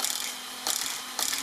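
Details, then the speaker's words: Hoonigan EX07 RC car after replacing the slow steering servo with a new one: quick bursts of high-pitched buzzing and ratcheting as steering snaps side to side; new servo much quicker and healthy. "we can hear it kind of banging away really quick check out that much quicker"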